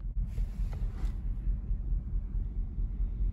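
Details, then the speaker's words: 2014 Chevrolet Silverado V8 with aftermarket tune chip, cylinder 7 misfire code, cleared but still rumbling; low uneven idle rumble with a thump about twice a second, classic misfire lope. "i already cleared the code and it's still still doing the rumbling so yeah it's the classic the classic um misfire rumble"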